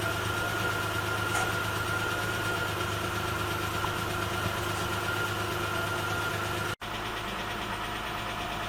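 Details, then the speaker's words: 1984 Toyota Cressida 5M-E after a head job, first start with the timing set and warming up: steady idle with a light, quick tick keeping pace with the engine; one exhaust tappet is adjusted too loose. "apart from one noisy tap it it seems to be all right so oh that's not too bad it sounds like I got one of the exhaust tap it's a little too loose"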